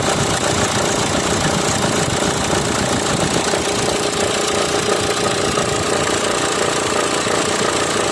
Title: Kia Sportage 2014 model engine noise problem...